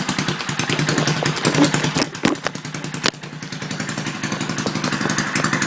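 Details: Briggs & Stratton 2 HP engine from about 1959, first start after a complete rebuild, still on the wrong spark plug and filter/pipe and needing carb adjustment: quick single-cylinder popping at fairly steady speed with slight surging; runs well, stalls once.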